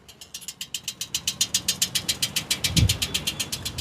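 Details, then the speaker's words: Motorcycle just ridden in, engine off: fast, fairly even metallic ticking about four per second from the catalytic converter as the hot exhaust contracts; normal cooling tick. "સો ભાઈ આ શું છે આ અવાજ આ અવાજ છે કેટેલિટિક કન્વર્ટરનો"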